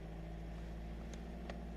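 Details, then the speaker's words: VW gen2 1.6/2.0 TDI with charge cooler after replacing all four injectors, running during the injector minimum deviation adaptation in basic settings: steady, even low diesel drone with no knocking or misfire; injector noise has changed, normal running. "So let that run its course there. You can hear the injectors have changed noise."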